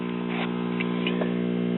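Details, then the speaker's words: 1965 RCA Scholastic 4-speed tube classroom record player (50C5 output, 12AV6 preamp, 35W4 rectifier) warming up, with a constant low filter hum. The amp needs its old wax capacitors replaced and gives no audio amplification at the cartridge. "let it warm up and I'll show you as you can hear we have a little filter hum"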